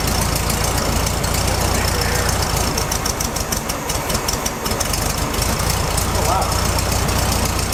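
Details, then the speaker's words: Classic VW Beetle with a freshly rebuilt carbureted engine, before the fix: uneven, lumpy idle with an irregular beat of about four per second over a steady rumble; an open vacuum line leaked air, and blocking it made it run well. "So right here is this vacuum line that goes to nothing, and you can see it's just blocked off there. And when we put a finger over it, the engine started running really, really well. So I think that was the issue."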